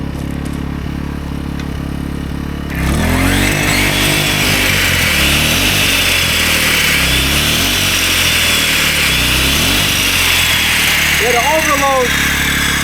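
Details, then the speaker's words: AiVolt 1600W (1260 running watts) gas inverter generator powering a 15-amp circular saw, beyond its roughly 10-amp capacity. The engine strains and hunts up and down and the overload light comes on, generator overloaded. "overload light coming on. So the 15 amp saw is way too much for this."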